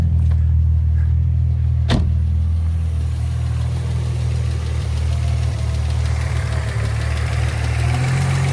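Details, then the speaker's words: 2004 Infiniti G35 sedan 6MT, VQ35DE, tick developed over a couple thousand miles, persists after fresh oil change; steady idle with a light quick tick about four per second, suspected noisy valve lifter. "I already did a fresh oil change on it and I still got the lifter tick. So now I'm going to use this funnel. Well, first let me show you what the tick sounds like. I hear it right away."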